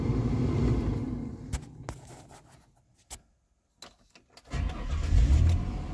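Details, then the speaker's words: 1999 Mercury Mountaineer (Ford Explorer) after re-capping the engine computer's two SMD capacitors: engine catches right away and settles into a steady, even idle with no misses; starts and runs normally. It was a fix attempt for no tach/speedometer when near freezing. "attack started right up no problems"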